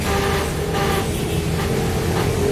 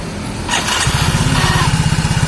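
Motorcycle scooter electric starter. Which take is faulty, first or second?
first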